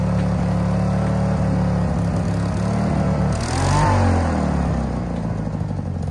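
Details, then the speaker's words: Case 1816C skid steer sat 10+ years, realigned and tires aired: engine labours with an uneven, wavering note and surging load under drive, barely moving; owner suspects a really loose pump, left side not moving, right only backwards. "okay so it kind of moved didn't sound too well though um I think what the deal is is why it don't sound too good is that pump's really loose"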